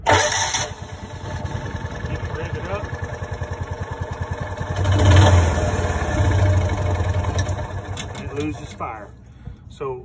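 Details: Kawasaki FE290D single in a John Deere Gator, runs and dies with bucking and popping, fuel and plug wire resistor ruled out: steady thumping until firing fades and it dies; ignition coil losing spark.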